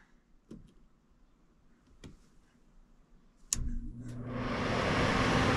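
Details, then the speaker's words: HVAC heat pump system during low-voltage troubleshooting, with G jumped for the blower and O energized for the reversing valve: faint clicks, then a whoosh that builds smoothly and stays even as the fan spins up. Fan running normally. "Fans coming on. So, we're probably going to have to go outside for the outdoor unit because I did have that disconnect out."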